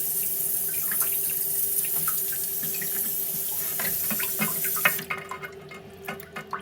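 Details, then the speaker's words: Toilet cistern inlet float valve refilling after a flush, before repair: water trickles in slowly with a steady whistling tone, not filling fast enough; worn diaphragm washer (Siamp 34951309) restricting flow, replaced as the fix. "So this is the sound it's making. It just doesn't sound like it's filling up properly."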